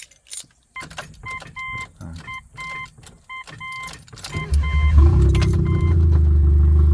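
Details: Turbo Mitsubishi after the timing belt jumped and was retimed, distributor and ECU replaced, running on downpipe only: keys rattle, then steady low whirring with even pulsing as it cranks without firing; starter sounds fine.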